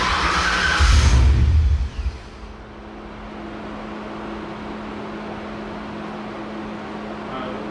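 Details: Engine-swapped car: a quick crank and catch, a short rev, then it settles into a quiet, even idle with a faint steady hum and no stumbling. A normal start-up and idle.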